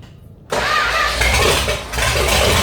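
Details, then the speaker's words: 1969 Dodge Dart V8, first start in a couple of years after engine R&R, after fixing a no-spark issue: it catches quickly and settles into a smooth, even burble on all eight cylinders, oil light off, with oil pressure. "that sounds good just running on all eight cylinders and the wall light went off so we got oil pressure"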